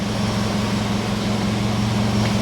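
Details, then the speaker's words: 17-plate Vauxhall Adam Energize salvage auction car, heard at the rear by the exhaust: steady, even idle with smooth low hum, no misses or ticks; nice little tone to the exhaust. Normal idle. "it's got a nice little torn to the exhaust I don't know if you can hear any of that"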